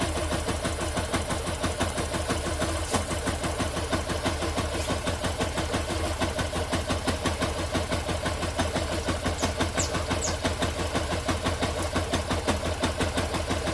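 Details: Engine with a strange noise: a steady idle carrying a regular tapping about three times a second over the running note, cause unknown; abnormal engine noise.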